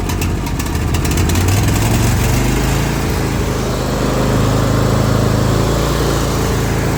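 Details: Zero-turn mower at idle following a valve adjustment, blades engaged; idle hunts up and down with an uneven, loping, stumbling beat, bogging and not wanting to stay running; cause unknown.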